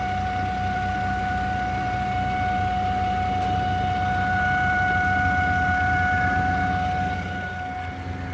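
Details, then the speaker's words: 2009 Volvo XC70 idling: a steady, fairly high-pitched electric-sounding hum over the low rumble, coming from underneath at the rear passenger side, not from under the hood; the cause is unknown. "Humming's getting louder. Yeah, it's definitely in there. Right up in there."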